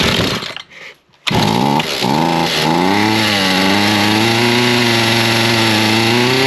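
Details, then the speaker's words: Chainsaw with a suspected shorted switch, started on choke and choked out: a brief stumble, then it holds a steady, even idle with no hunting; good idle, though afterwards it would not shut off. "Good kill. So, that's good. It's got a good idle to it. I think she's going to be all right."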